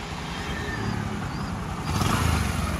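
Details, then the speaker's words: Discover 125cc single-cylinder after a rebuild: new block, piston and clutch plates, valves lapped, head cleaned, guide replaced, gasket set and chain fitted; steady low thumping idle with no knocking or rattle, now silent and smooth, so normal idle. "गाडीचा आवाज बघा एकदम silent झाली. काहीही आवाज येत नाही गाडीचा."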